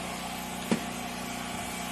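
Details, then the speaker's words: 24-inch ventless dryer, reportedly had no power at the buyer's home: steady low motor hum with the drum turning evenly and one brief click early on. It runs and spins normally, heat unconfirmed; her breakers suspected. "this dryer works for spin we don't know if it has heat but she said it had no power"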